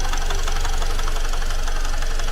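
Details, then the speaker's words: Great Wall car engine just after an engine teardown/rebuild, idling: steady but with a quick, even clacking knock ("kla-kla"), light metallic tapping, tractor-like; owner denies forgetting oil, engine reopened. Cause unconfirmed. "克拉克拉的。你这咋修成拖拉机了呢？来的时候不是好好的吗？"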